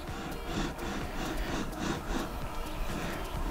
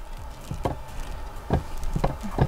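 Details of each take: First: Creality 3D printer carriage after adjusting rollers and fixing factory defect: rolls back and forth with even low rumble, no clicks or catches; normal smooth carriage motion. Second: Creality 3D printer carriage roller (2020 batch) makes dry, uneven crunching clicks as it turns. The plastic tire slips on its bearing despite being tightened, which will cause lines on prints and make the bed nearly impossible to level.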